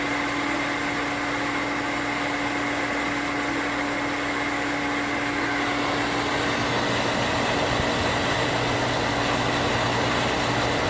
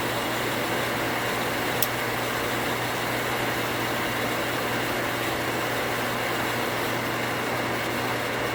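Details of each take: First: New 1 hp cast-iron booster pump (replacing a worn-bearing Sta-Rite): motor hums steadily, then turns rough and fluttery once pressure peaks, as the pressure switch chatters (short cycling), before the switch rewire. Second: 240V water pump after pressure switch rewire to a new switch cutting off 10 psi higher: constant steady motor hum while building pressure, no switch chatter or short cycling; contacts activated at 45 psi.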